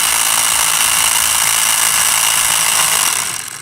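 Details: Stanley jump starter box with built-in air compressor: loud, harsh rattling buzz at steady speed that dies away; compressor runs but the piston isn't building pressure.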